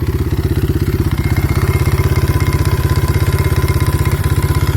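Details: Kayo T5 engine at idle; fast, sharp, hard regular knock on every beat over a low thump: mechanical knock in the engine.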